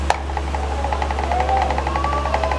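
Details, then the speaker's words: Asahi electric fan, noisy after another technician's repair, head fixed (oscillation off): steady motor hum with quick even tapping, about six or seven taps a second, rattling as if vibrating inside; abnormal knock that disappears when swinging. "pag nakaangat yung oscillation maing nirinig niung tagaktak na yan lumalagatok parang may nagvibrate sa loob hindi po normal yung gany tunog May problema po ito"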